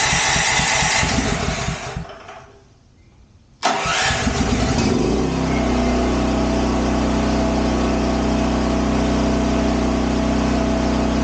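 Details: Champion dual-fuel 8000 W generator (model 201035) started on propane with the choke on; rapid cranking, a brief lull, then it catches and settles into a steady, even drone; normal start and run.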